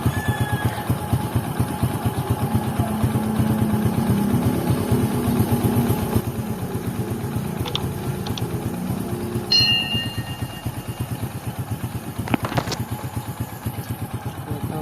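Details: Honda XRM110 idling right after timing chain replacement with timing marks aligned; old chain was badly worn; even single-cylinder idle, smooth steady beat with no clatter, only faint background clicks, the earlier noise gone; normal idle.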